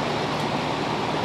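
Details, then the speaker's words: Attic fan after replacing the old motor with a substitute store-bought fan motor on 120V, thermostat-controlled; a steady, even whoosh of air with a smooth hum and no clanging, banging or blade strikes, normal running. "so it's running sounds good no clanging no banging no hitting it's all missing"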